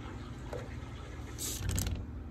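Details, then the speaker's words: Irrigation valve on a pool autofill system, heard outside after fitting a water hammer arrestor: quiet water hiss, then a dull thunk and brief rush as the valve snaps shut; some water hammer remains on shutoff. "still makes a pretty good thunk out here but the question will be how loud the thunk is inside"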